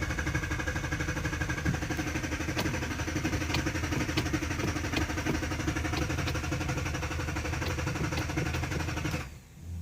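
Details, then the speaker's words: 2013 Dodge Durango R/T with a starting problem: engine runs roughly about nine seconds then cuts out abruptly, needing revving to stay on; start-then-stall, owner later found the fuel pump relay was the cause. "But it keeps turning off. Oh shit, that shit's crazy. I actually had to rev the motherfucker to stay on."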